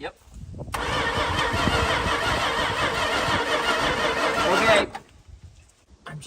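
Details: Barn-find 1968 Plymouth Fury, 318 with one-barrel carburetor, not run in over 20 years: starter cranks steadily about four seconds at an even chug, never catches; no spark, coil suspected.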